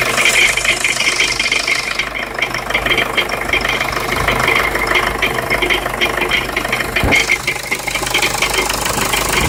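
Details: Jeep Liberty CRD diesel at idle: rough metallic rattle with a gritty grinding edge over the clatter; the owner is trying to identify the rattle/grind noise, source unknown.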